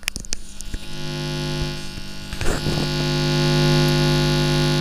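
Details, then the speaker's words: Amplifier on mains supply: loud steady low hum throughout, reduced by touching ground and absent on battery power; mains hum from poor grounding, fix is running the filter capacitor negative to the board ground. "तो आपने सुन लिया होगा इसमें कितना humming आ रहा है"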